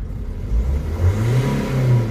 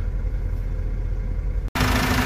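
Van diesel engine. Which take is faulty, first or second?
first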